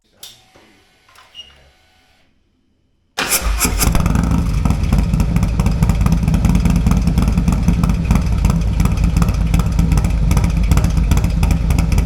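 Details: Harley-Davidson with cam, tuner and air cleaner, Fuel Moto 2-into-1 pipe: catches after a short pause and settles into a deep, loping, uneven cammed V-twin idle, running cleanly.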